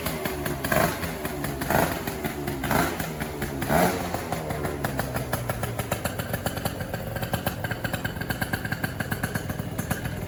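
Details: Gilera Runner 180 two-stroke scooter, starting after the CDI was replaced with a Malossi Forcemaster 2 for ignition and relay faults: a few evenly spaced cranking bursts, then a fast, steady idle without misses.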